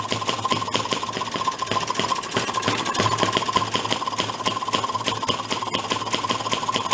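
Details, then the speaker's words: 1937 Maytag 92 two-stroke washing machine engine, started with a drill while adjusting: fast even popping, steady beat without misses; sounding better and running smoothly. "we'll try to fire it up again and we'll keep tweaking this so it runs really smooth and we'll make that a closed position on it now well it's going to start up for us again it's gonna do with the drill already sounds better"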